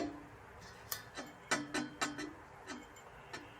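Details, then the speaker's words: 1979 vintage reel mower: irregular light scraping ticks as the reel is turned by hand, catching the fixed bed knife on one side; the reel is adjustable but touching, and both reel and cutting edge seem slightly bowed. "It's bolted in place, but you can move the reel on its sides. And it looks like on this side, you could even hear it's touching, right?"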